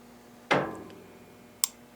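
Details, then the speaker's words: 1911 pistol safety function check, disconnector test with slide pushed back a quarter inch, trigger released: sharp snap then small crisp click; normal trigger reset. "You should hear a reset."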